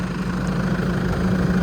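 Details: New Holland TD4 100F tractor idling in neutral: a steady low drone with a constant hum that stops when in gear; owner suspects oil pressure trapping or defective valves, unconfirmed.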